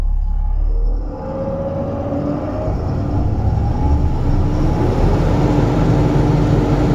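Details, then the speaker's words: Mahindra Blazo BS6 M Dura tipper diesel, previously DTC P0344 (camshaft), long cranking and RPM stuck below 2000; after repair the engine revs smoothly and freely past mid revs without stalling, now normal. "यह पूरी तरह से ऊपर जा रहा है। अभी। ठीक है। वाहन अब ठीक है।"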